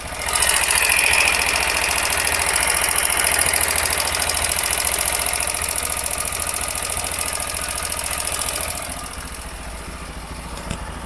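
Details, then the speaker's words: TVS Apache RTR 4V 160 BS6 motorcycle, 6,898 km, started at idle: sharp even ticking about three to four per second; rocker arm (tappet) noise, confirmed as rocker problem and cured after repair. "Start करता हूं आप लोग को sound सुनाता हूं sound आ रहा है एक साउंड आ रहा है आप लोग सुन पा रहे होंगे"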